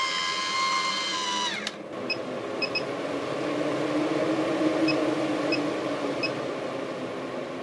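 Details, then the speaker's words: Maxx Air 7500K MaxxFan Deluxe roof fan on 12.7 V battery with solar, after reset by pulling and reinserting its fuse: short falling tone then steady even whir with airflow; works normally again, though shutdown fault not fixed. "now the green light is off and i have the remote in my hand turn it on and it works as it should"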